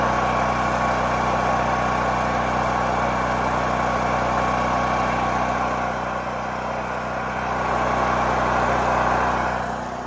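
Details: New Holland Agriculture 6500 W generator, previously seized after running low on oil, restarted with fresh gas, valve cover and spark plug refitted; steady, even drone at constant speed, no knocks or surging; normal running.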